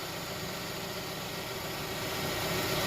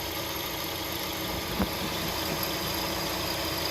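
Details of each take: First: Hyundai Tucson idling after replacing noisy belt tensioner and pulley, AC on loading the belt: steady, even idle, smooth hum, no chirp or squeal, much quieter than before; old pulley bearing was noisy, normal idle. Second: Hyundai Tucson idling with AC on and compressor clutch engaged: faint steady whirring hum from the worn tensioner/idler pulley bearing, heard after refitting the belt; bearing to be replaced.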